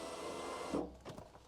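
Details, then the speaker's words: 1991 Alfa Romeo Spider passenger-side power window, new Centerline replacement motor just fitted and tested before the glass is refitted: a smooth, even electric whir under a second that stops cleanly with no grinding or labouring, a healthy motor. "okay so I would say we have a functioning window um motor everything's working fine"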